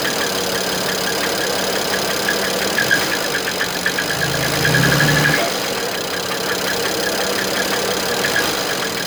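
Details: Idling BMW N54 six-cylinder in an E61 with a light, uneven knock about three a second; bad bearing, with copper throughout the oil; previous owner claimed the engine was seized.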